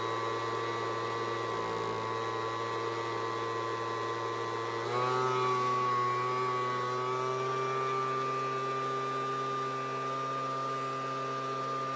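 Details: Homelite two-stroke leaf blower (high/low/off switch, no throttle), started full then half choke: steady high-pitched buzz stepping up once and holding even, no stumbling or surging; runs clean.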